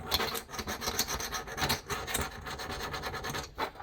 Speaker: So this one's 55. Still skating. Still skating.